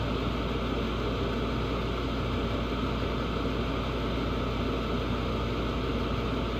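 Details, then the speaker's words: Carrier furnace on a no-heat call where the gas valve had been switched off; after turning it on, an even, steady rushing hum with no rumble, pulsing or rattles as burner and blower run normally. "so let's turn it on and now it's work"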